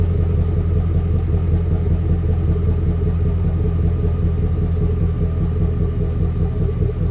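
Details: High-mileage Chevrolet Express / GMC Savana V8 van: deep rumble with uneven lumpy beat about two and a half pulses a second, one cylinder misfiring so it runs like a V7.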